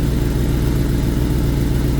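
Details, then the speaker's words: 2021 Gen 6 Kawasaki ZX10R idling right after an oil change with no oil pressure: oil line not moving, filter and pump not feeding oil to the engine, oil pressure warning on dash; deep, rough, lumpy uneven exhaust beat at idle. "that line is not moving because the filter and the pump is not working together to get that oil to the rest of the bike listen to the sound of the pipe it's rough"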